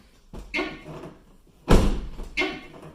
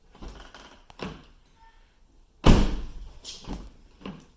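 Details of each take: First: Van door swings open with a harsh scraping rub and a thud as its edge catches the fender, the two now smashed together. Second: Van door, after being bent back by hand using cardboard padding because it was hitting the fender: opens and shuts with solid thuds and latch clicks, no longer scraping or grinding against the fender.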